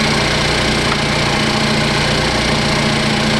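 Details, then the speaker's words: 2015 Cadillac ATS Luxury 2.5L RWD, engine freshly swapped in, idling as AC compressor kicks on during refrigerant charge: even idle with fast light injector ticking, no knock or miss under AC load; sounds healthy. "This one sounds good. You can hear all the injectors, so if it's picking up some abnormal, ticking sounds. That's all I hear. I hear the injectors."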